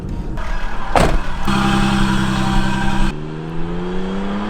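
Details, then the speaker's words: Isuzu VehiCROSS mid-rebuild (new tie rods, shocks, front bushings, trans fluid), flyby test: engine note climbs smoothly as it passes and pulls away, no knock, rattle or misfire; sounds healthy, though earlier it sounded a little funny. "sounds healthy"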